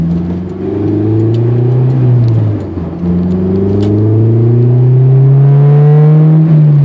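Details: 2003 Honda S2000, clutch due for replacement: revs rise and fall with faint sharp pops as throttle eases in gear, from front transmission area; heard around 50°F; driveshaft has few mm play; owner suspects a driveshaft-end bearing, not clutch; unconfirmed.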